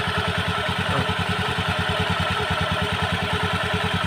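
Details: Honda Beat scooter, CVT cover off, engine pulsing with rough loose clatter from belt drive, noisy especially when throttled; CVT rattle from parts with extreme play.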